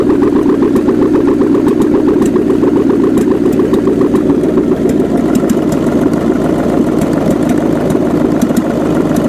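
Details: 1979 GMC Heavy-Half with a scrapped 350 small-block V8 with new heads; a fast, even idle with a loping beat and no misses or pinging; a little smoke is seen and the PCV is not yet hooked up; normal idle.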